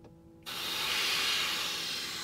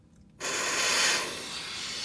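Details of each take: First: Tesla Model X window with its rubber seal and trim taped over, window rolled up, air compressor blown along the seal: an even, steady airy hiss with no whistle or fluttering peaks; the sealed window is not leaking. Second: Tesla Model X, air compressor blowing at the window seal: sudden sharp, loud, airy hiss that holds steady when the air reaches the seam where the glue wasn't bonded well. Wind noise from a window seal air leak.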